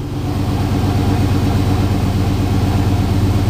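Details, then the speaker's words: GM vehicle idling after a battery cable repair: a loose, uneven rattle on the low engine beat. The owner thinks a collapsed transmission crossmember mount lets the engine sag so the exhaust pipe rattles. "think the transmission crossmember, the mount smashed down on the back, so it's making the whole engine go down. Therefore, the pipe rattles"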